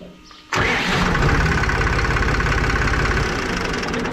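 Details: Rebuilt tractor diesel after pump removal and adjustment, filter changes and overhaul, about 8,600–9,000 hours: catches at once and settles into an even, knock-free chug at idle, with no more noise when the pedal is pressed.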